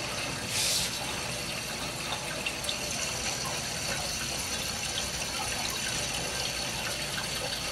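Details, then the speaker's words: Hydronic heating zone loop being purged with circulators, burner off, returns closed, bypass open, around 30 lb pressure: steady rushing water with a hissy, spitting edge; air still trapped in the loop. "can feel the ear in my hand I can hear it definitely ear in there"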